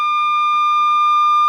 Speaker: that is the alarm going off letting us know that the water level has gotten too high